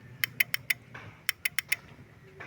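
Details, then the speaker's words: Honda XRM motorcycle that suddenly won't start, suspected water exposure, pressing start: two quick bursts of four sharp clicks each with no cranking; starter relay clicks but engine does not turn over. "So ang issue ayaw magstart. So try natin. Ayan tumutunog lang. Ayaw mag-start. Yan. Tumutunog lang."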